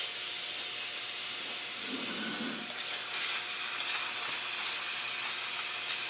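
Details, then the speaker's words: Land Rover 200TDI transfer box under an air pressure leak test with the supply tap shut off. A steady hiss of escaping air, later traced with soapy water to the end cover; air leak at end cover. "if we shut the tap off we can hear it leaking so now we need to know where that leak's coming from"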